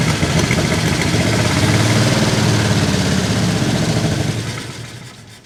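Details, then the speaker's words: 1949 Chevy Fleetline Deluxe six-cylinder, runs after sitting many years, side cover off, with stuck lifters, bent pushrods and a leaky carburetor: lumpy, uneven idle, now possibly hitting all six but still rough and missing at lower RPM. "it's definitely hitting all six now would you agree Dave yeah I mean it's rough but all six might be there no oil is dripping though"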